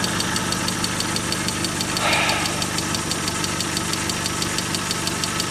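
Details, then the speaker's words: Mazda 626 FS engine, first startup after reinstalling IAC and throttle body: steady idle, quieter overall but light regular ticking knock; engine knock at idle, later found 50% leakdown in cylinder 3 from bad exhaust valve, head possibly hitting valve. "it's quieter except for the knock you're rid of one problem another one pops up"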